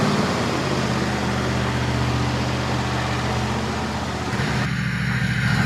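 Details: Cub Cadet LTX 1050 with a Kohler Courage 22 hp V-twin, first start after resealing the sump and refilling oil for a squeak: a steady, even beat and firm rumble with no squeak or tick. Normal running.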